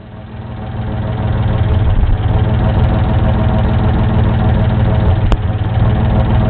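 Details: Isuzu 6VD1 engine at idle: deep uneven lumpy loping beat about three or four times a second; rough idle.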